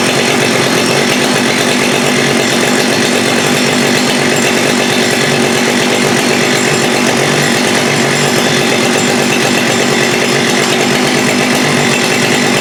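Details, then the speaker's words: Husqvarna 394 with HyWay 58mm big bore cylinder (395 project), original OEM carb, cold day: held at high no-load revs with rough blubbery note that won't climb; suspected rev-limiting device dumping fuel, too rich on top. "So let me see if I can get it fired up so you can hear what it doesn't do."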